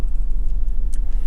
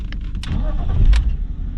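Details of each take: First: Warmed-up BMW E46 six-cylinder: idle slightly low, lumpy and stumbling, revs rising unevenly as if hopping; misfire running on five of six cylinders, traced to one faulty ignition coil after new NGK spark plugs. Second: BMW E46 six-cylinder after replacing the one faulty ignition coil: after handling clatter, a low steady even idle hum with no lumpy beat; vibration gone, now firing on all six cylinders instead of five.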